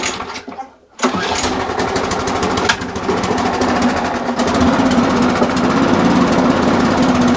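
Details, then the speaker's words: Briggs and Stratton push mower after a new spring and new air filter: primed and pull-started, it chugs unevenly about two beats a second; speeding it up changes little, so the dirty carburetor needs looking at and possibly a gasket and diaphragm change. "i don't sound very happy but what i'm going to do i'm now going to speed the engine up okay so even by me speeding the engine up it didn't make a lot of difference that tells me the carburetor does need looking at"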